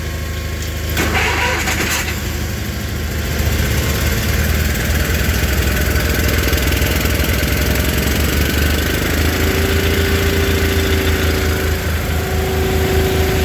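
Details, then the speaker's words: Old Case/Ingersoll tractor engine, cold start after 10° night, full choke, quarter throttle: catches after a short crank, settles into steady even idle with no knocks or misses; normal cold start and idle. "both of them running no issue no issues with the 1540 10° all night this fired right up"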